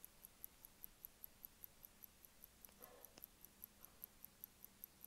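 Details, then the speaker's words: Hamilton Electra watch held to the mic after a couple of hours running, owner thinks it needs a little oil: crisp, perfectly even ticks, about five a second, in a quiet room; movement ticking normally. "look at it take away I like about this guys you can really hear the tick I'm going to put up to the mic"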